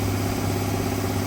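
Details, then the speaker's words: 1966 Ford Fairlane V8 with single-plane intake: low, lumpy idle with uneven beat as if one cylinder drops out; misfire, firing order or timing suspected, not confirmed. "To me, it sounds like a firing order problem, like you got 2 cylinders."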